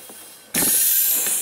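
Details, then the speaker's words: Ford F250 4x4 with pulse vacuum hubs not engaging in auto 4WD: vacuum line pulled off at the reservoir gives a sharp, strong hiss, showing good engine vacuum supply to the tank. Normal vacuum supply. "Now, being that we don't have any other complaint, I doubt that we have any problem here with our vacuum source. Sometimes you can unplug these. You hear them hiss."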